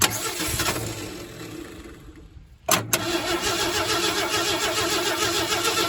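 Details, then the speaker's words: 1968 Ford F100 last run in 2001, spark apparently at the points, lawnmower fuel poured into the carburetor: cranks, stumbles, then fires and runs roughly only on the priming fuel; fuel supply problem suspected. "Oh, there it goes. Let's put drop a little more fuel down in there. Drop some of that lawnmower fuel in there."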